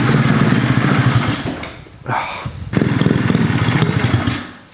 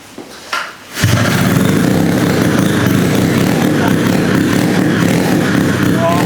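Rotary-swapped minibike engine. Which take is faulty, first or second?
first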